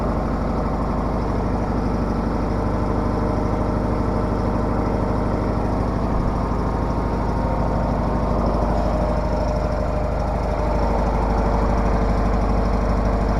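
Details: Case 446 engine after maintenance, started at about 35 degrees outside: settles into an even, steady low rumble with no knocks or misses; healthy idle.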